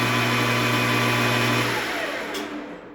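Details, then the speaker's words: Grizzly 4003G gunsmith lathe running in inching/power feed without cover after gear train backlash was set (it had been noisy at high speed): steady even gear whine winding down as spindle stops; gear mesh noise normal. "that's not bad, especially for power feed. I think that's really about where it should be, noise-wise."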